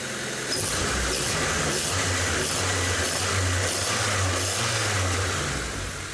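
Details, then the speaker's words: 1998 Honda Civic, after arriving on a tow truck: fuel injectors cleaned, new iridium spark plugs, sump, fresh oil and filter. First start gives a steady idle with a slight rise and fall in revs and no valve tapping. Engine sounds healthy. "Ó. Está aí, ó, funcionando. Ó, não bateu válvula. Não bateu válvula."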